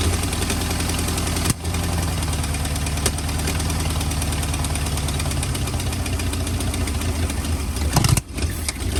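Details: 1940 or 1941 Ford truck with flathead V8, sat about 50 years, cold block: lumpy uneven idle with stumbles that nearly stall it. Rough running; owner suspects worn rings, not confirmed.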